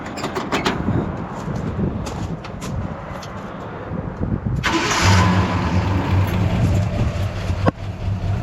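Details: Jeep J20 started after fitting the belts on the bottom pulley; catches and settles into a steady low idle with an even beat, no misses; voltmeter shows it now charging; normal start and idle.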